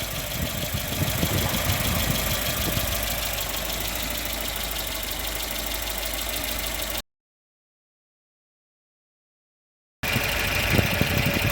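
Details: 1995 Volvo 940 after water pump repair, original thermal-clutch fan refitted: steady, even idle with a smooth regular beat and no knocks, squeals or grinding; normal idle.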